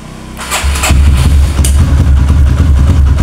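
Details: Kawasaki KLX with a new battery, fully charged then charger removed, in a repeated-start test: brief crank, catches within half a second into a steady idle; the battery managed 13 starts and is judged normal so far.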